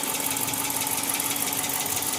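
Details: 2010 Chrysler 300C at idle: steady idle with a light, rapid tapping on top and a faint constant hum; an engine knock, source not pinned down, with a misfire also mentioned.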